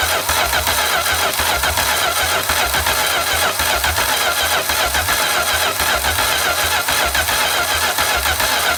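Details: Homebuilt V8 trike, restarted hot after sitting for years, with diesel-flushed oil: it fires and runs rough with an uneven, pulsing exhaust beat. Oil in a cylinder or a head gasket was suspected; a wiring fault causing no spark was later found.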